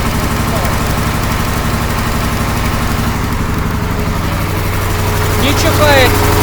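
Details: KamAZ truck diesel idling after a copper tube was fitted to the air dryer; steady, even beat with no hissing, sneezing or purging bursts from the dryer, which now works normally.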